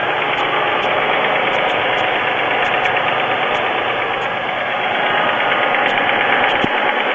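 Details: Pontiac 3.4L GM V6 idling, oil level full: light, somewhat uneven tapping about three a second over steady hum; owner suspects piston slap, unconfirmed; noise reportedly stops completely later on.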